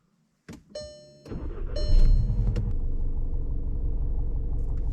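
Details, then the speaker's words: 2016 VW Jetta GLI MK6, 2.0 L turbocharged petrol 4-cylinder (EA888 gen 3), on start-up: engine catches and settles into a coarse, rattly diesel-like clatter at about four beats a second; cause unknown, owner hopes it's a sensor or connection. "I wouldn't believe that it's not a TDI if I get to De car for the first time once the engine is running the sound is gone and it's working perfectly"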